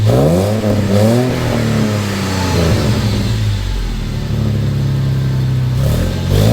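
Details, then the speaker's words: Jeep off-road vehicle prepared for King of the Hammers, started just after fitting a quieter muffler: smooth revving and settling with a soft, muted exhaust note, no blowing; a possible slight heat-shield rattle suspected; normal quiet exhaust. "poor Jeep sounds like it got neutered it's very nice and quiet and I do enjoy that about an off-road vehicle when they're nice and quiet said nobody ever"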